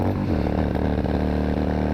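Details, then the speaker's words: 2002 Yamaha XVS650 V-Star V-twin, air-cooled, just under 30k miles, at highway speed: uneven stumbling beat as the front (number one) cylinder cuts out intermittently; front-cylinder misfire, with bad piston rings in the front cylinder. "Now this thing does do highway speed, but you can hear that number one cylinder cutting out the front cylinder."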